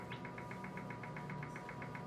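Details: Brinsea Ovation 56 EX incubator: rapid, even ticking, about eight a second, over a steady electrical hum each time the humidity pump turns; the pump motor was replaced.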